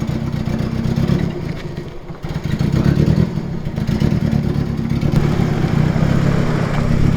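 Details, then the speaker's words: Nissan Silvia S13, long unused, blipped and held while loading onto a trailer: uneven, lumpy note with stumbling beats, missing heavily; owner suspects exhaust leak and overfueling, also possible head gasket letting water into a cylinder; cause not confirmed. "yeah, it was bloody missing pretty heavily trying to get it onto the trailer there. Yeah. So Could also be a mixture of the exhaust leak and overfueling."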